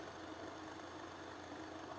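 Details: NVIDIA GTX 970 card's fans spinning freely again after freeing a stuck fan that had let the GPU reach 92°C at idle: steady, even whoosh with soft hum, no rubbing or clicking; fan speed 33, card under load, temperature dropping toward normal under 40°C.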